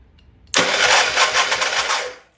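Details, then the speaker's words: Old Troy-Bilt Pony rototiller, long sitting, spark confirmed, fuel smells bad: starter spins fast and free about two seconds with even churn and no compression chuffs; no compression, suspected sticking exhaust valve, head to be pulled. "so I'm going to pull this head because it does not seem to have any compression whatsoever and the fuel smells horrific"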